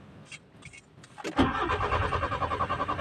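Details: Nissan Sentra with the GA13 engine: brief uneven cranking, then it catches and runs with a rough, pulsing, unstable idle; hard starting.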